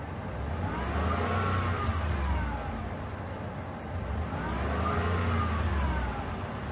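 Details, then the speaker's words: 2013 Ford F-150 with A/C on: thin whine rising and falling over engine each time A/C engages, disappearing when A/C is switched off; failing A/C compressor, to be replaced; high-speed cooling fan complaint. "you guys hear the compressor i'll come in and shut off the ac all right now let's listen for it see it went away right let me kick on the ac hear it"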